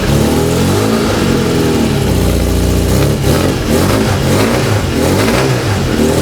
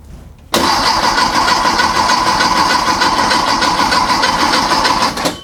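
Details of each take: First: Freshly built Volkswagen/Porsche type four flat-four on a test stand, distributor drive gear set loosely pending fuel injection, aluminum-finned cylinders built for turbocharging; crisp even firing picking up cleanly through blips and settling back, no misses: normal running. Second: A freshly built VW/Porsche Type 4 flat-four on a test stand at first fire: about five seconds of steady brisk cranking with no firing, while oil pressure is not building yet. Cause: no power to the ignition coil.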